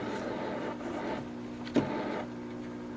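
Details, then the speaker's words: Supreme 78 RPM record player under repair: steady low hum with faint rough rumble and soft clicks from the idler wheel running noisily against the platter, getting quieter after a few minutes of running; cause suspected, not confirmed. "I'll see if we can get that wheel just a little bit quieter. It even seems like just by running by on its own just for a few minutes here, it started to get quieter."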